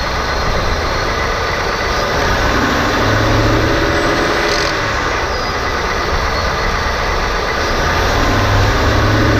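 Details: 2018 Ford F-150 with a rattle since new near the transmission, worst on cold starts. Gentle throttle in 1st, 2nd or 3rd gear then lifting off gives a loose rattle or clack, heard from under the truck and more clearly in the engine bay.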